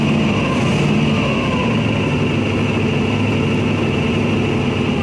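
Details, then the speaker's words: Small block Chevy V8 in the Church Bus running on a new mechanical fuel pump fed from a temporary tank under the hood through aluminum fuel line: steady, even rumble at constant speed, no misses or knocks; running fine. "good for now it runs I've got a temporary tank underneath the hood it's somewhat plumbed in with some aluminum fuel line and"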